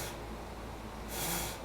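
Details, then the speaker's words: Porsche 911 under restoration, electrical check with ignition on: low steady hum with short hissing spray mid-clip as windshield washer fluid pump squirts; normal washer pump operation. "our fluid pump and then speed one you can see everybody working in there medium speed in high speed"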